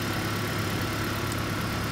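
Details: 2015 Toyota Prius AC running normally under some sun load: steady even hum with faint constant tone, no rattle, knock or surging; 39°F dash vent air, 29 psi low side, 151 psi high side, suction line 57°F, liquid line 95°F, subcool 17°, superheat 23°.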